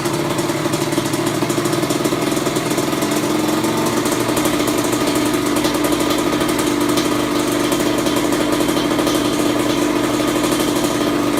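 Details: Kawasaki KX100 first start after full engine rebuild, OEM stator fitted, idle and air-fuel mixture adjusted: steady, even two-stroke idle with constant buzzy note, no stumbles or surging; running cleanly.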